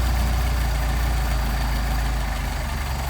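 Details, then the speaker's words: Mercedes 190SL with Solex carburetors at low idle; RPM sags when the throttle rod is disconnected because the throttle linkage was not adjusted properly. "see I disconnected it here and you can hear the RPM drop because I did not have the throttle Rod adjusted properly 100%"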